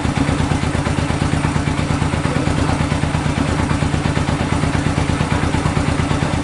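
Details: 1965 Honda CB77 Super Hawk 305 twin, sat 20 years, running on the lift after a carb clean and fresh fuel, with no air filters fitted. Crisp, even putter at a steady idle, about three beats a second, no skips. Normal idle.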